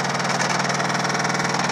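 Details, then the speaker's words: Samsung VTR steam washer on spin cycle, rear cover off: rapid steady thumping about ten knocks a second over motor hum; drum bangs because a plastic mount broke off. "It came off. It broke. Sounds horrible, and it's just this plastic piece. All it is."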